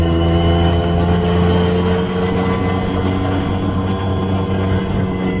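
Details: Newly rebuilt engine, once smoky from excess build oil, held at high revs uphill under load: a steady, hard, smooth pull with no knocks or misfires; normal acceleration.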